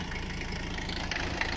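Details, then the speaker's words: 1985 Mercedes-Benz 300CD Turbodiesel on first start, with weak batteries: uneven, lumpy diesel clatter with irregular heavy knocks and no steady beat, only two cylinders firing; rough running and misfiring cylinders. "oh there's two there have two cylinders we got chi-chich my man"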